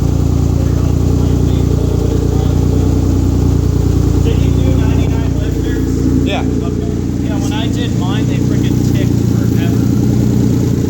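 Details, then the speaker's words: 1997 Mitsubishi VR4 first start after engine rebuild, downpipe missing and still needing welding; loud raspy uneven unmuffled exhaust drone with deep rumble at idle. "no downpipe, that's why it sounds like butt. Exhaust. Downpipe still needs welded."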